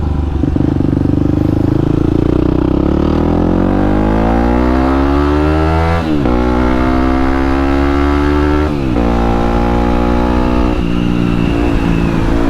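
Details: Yamaha WR250X supermoto on test ride after fixing a kinked fuel line that caused cutting out under full throttle: the single pulls cleanly up through the revs with two crisp shifts, pitch climbing smoothly, no stumbling or cutting out.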